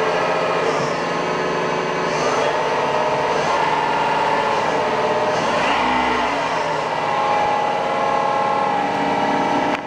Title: Noisy Spindle